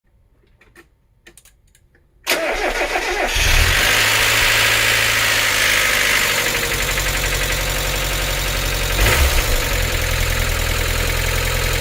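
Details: NA Miata 1.8L petrol engine, first start after reinstalling cleaned hydraulic lifters and reassembling, cranks and settles into loud diesel-like lifter clatter at idle; shutdown-restart and a quick throttle blip tried to quiet them.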